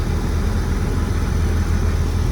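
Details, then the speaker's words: 2003 Porsche Boxster, tiptronic, about 144,000 miles, flood salvage sold non-running at auction, on its first start after a battery jump: a deep, even, steady idle with no misses, knocks or ticks while the AC runs, a healthy idle. "It runs. Wow. Listen to it. Wow. Holy smokes. It sounds beautiful."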